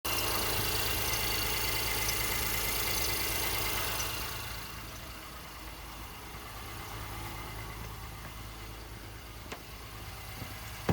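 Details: 2018 Honda Ridgeline Sport, about 30,000 km, parked at idle after a cold start: brief, sharp high chirps from the passenger side of the engine, irregular and not tied to rpm, gone once warm; intermittent chirp.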